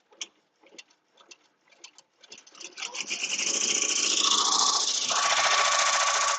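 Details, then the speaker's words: Embroidery machine stitching a shirt: even ticking at about 210 a minute builds into a steady high whirr with no snags or knocks; stitching normally. "i'm just watching it i can tell the way that it sounds if it's gonna mess my shirt up i've been using this machine for really quite a while now to know the sounds of it"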